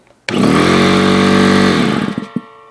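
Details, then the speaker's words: Air compressor snaps on into a loud but even buzzing run for about a second and a half, then winds down cleanly; loud but not jarring, healthy compressor. "it's loud, but it's not like jarring as like this other compressor I have."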